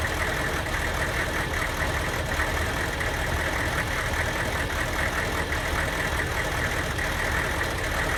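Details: Van with diesel engine: idle with an uneven, lumpy beat and irregular stumbles under the clatter, a misfire from a bad Kojo aftermarket ECU tune; worse when hot, barely 45 mph; a stock junkyard computer restored normal running.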